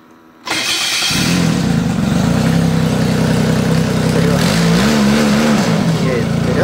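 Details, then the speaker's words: Arctic Cat Bearcat 660 snowmobile after a gearbox rebuild for worn, crunching reverse: the engine catches at once and settles into a steady rumble, rising smoothly as it pulls away with no gearbox crunching; reverse now works. "снегоход назад он тоже едет операция прошла успешно всё работает без нареканий"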